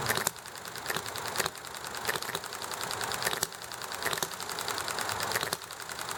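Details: Enjomor model engine running nicely: sharp single firing pops at uneven gaps, coasting quietly between over steady background hiss from highway and alley traffic plus conversation; hit-and-miss governing normally.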